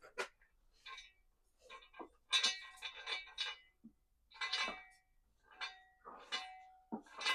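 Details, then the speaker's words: Ford Transit propshaft spun by hand with rear bolts undone; irregular bright metallic tings and clatters: a loose broken pin rolling inside the propshaft tube. "it sounds like there something very very big inside the prop shaft which is very odd"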